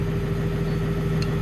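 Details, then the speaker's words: Diesel plant machine with the original batteries back on: fires and holds a steady, deep, even idle with no stumble or clatter; it starts and runs as it should. "Original batteries on. Machine fired up. Didn't bat an eyelid."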